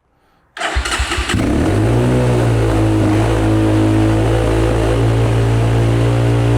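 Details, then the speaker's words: Cheap Amazon 250cc dirt bike, stored unused five years, catches then screams at high steady rpm without rider input; throttle cable at carburetor top appears not seated, pulling the quarter-turn throttle open (suspected). "So, what's going on is it looks like where the uh where the throttle cable comes into the top of the carburetor, it looks like it's not seated right, which would be pulling pulling the the throttle, giving more fuel, making it run real, making it like scream."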